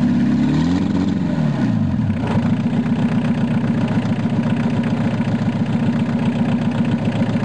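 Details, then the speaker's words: VW Rabbit first started after sitting a long time; it first wanted to run wide open. After the cold start device was pushed in and out, it drops from high rev to a steady, even idle. "Well, I got her to idle down at least."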